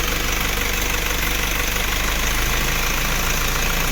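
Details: Isuzu diesel engine that would not start, traced to the engine stop motor circuit and a bad fuse connection; after the fuse was checked and reconnected, it shows typical diesel clatter at a steady idle with no misses, starting and running normally.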